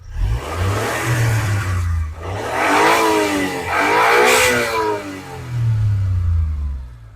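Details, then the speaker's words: Fuel-injected car engine, running on gas: three clean rev pulls rise and fall smoothly with no knocking or clatter; sounds nice and runs very evenly. "Ovozlari ham juda chiroyli, ishlashlari ham juda ham tik ishlab turibdi."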